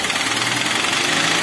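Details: Toyota Avanza/Daihatsu Xenia petrol engine at idle, long cranking, hard starting, weak power, no DTC after earlier P0008 timing fault; dull rapid piston knock under hissy rattle, blamed on hardened oil sludge on pistons and rings reducing compression.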